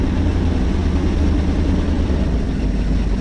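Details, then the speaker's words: 1980 Ford Econoline E-350 tow truck, 460 big block V8, warmed up before compression test (temp gauge not working): deep idle with uneven lumpy pulse; owner suspects a low cylinder; compression later sub-par; rough idle. "i think there's a low cylinder starting to sound a little rough when it warms up you hear it"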